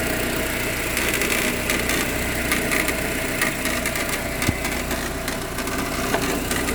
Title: proton exora cps rattling noise. Please suggest how to fix?